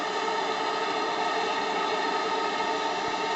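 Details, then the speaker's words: JLS 13-2 live steam engine on steam test at under 500 g working pressure: only a steady, even burner hiss with no knocks, ticks or clatter, no leaks; running smooth and quiet, better anticlockwise. "il tourne à rien il ne tourne à rien et pas un bruit le seul bruit que vous entendez c'est ma voix"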